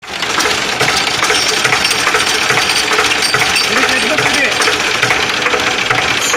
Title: Hmt tractor release bearing problem--Engine in running condition